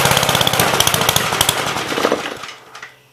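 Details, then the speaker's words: 1951 Gravely Model L 6746 walk-behind tractor with Wico magneto, missing fuel bowl: sharp uneven firing bursts, about three a second, fading and dying within seconds; choke keeps it running, so fuel starvation. "okay it's definitely fuel if you turn the choke on it saves it it's okay that's what i wanted to know"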